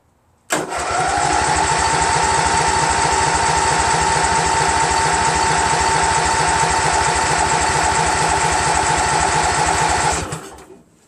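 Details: Craftsman GT6000 tractor, Briggs & Stratton Vanguard 16HP horizontal-shaft engine, after swapping in a second fuel pump; starter grinds a steady cranking rhythm about ten seconds without a catch; crank no start, no fuel reaching carburetor.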